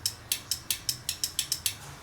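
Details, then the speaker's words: Nitrous kit solenoids bench-tested before wiring, powered and grounded repeatedly: nine crisp sharp clicks about every quarter second as they energize all at once; normal solenoid clicking. "Oh yeah, solenoid has to get grounded. And then it'll click, you'll hear all of it click at once."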